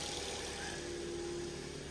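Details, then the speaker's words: Ford Fiesta at about 122,000 miles, with a cylinder 4 misfire code: steady idle with a thin, constant whine above the engine note. Probably the alternator bearing, though not certain; the engine revs up okay. "I think that um alternator bearing is um is spinning and it's uh it's that's the noise you can hear"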